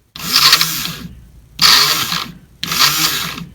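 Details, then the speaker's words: Fuel pump removed from 2003 Ford Crown Victoria that would not spin up in cold weather, bench-run: three short runs of harsh high scraping whir trailing off; pump motor worn out, replaced. "you hear that you hear that you hear all that scraping that motor is shot that motor is shot"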